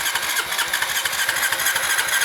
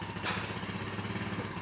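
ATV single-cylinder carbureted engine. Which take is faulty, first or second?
first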